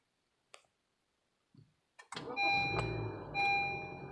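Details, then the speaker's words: 2015 Honda Fit, 60K miles, keyless start: warm restart right after shutdown, short crank catches at once into smooth idle with dash chimes; no rattle, which the car makes only on cold starts. "but if I turn off the engine and then restarted it doesn't do it"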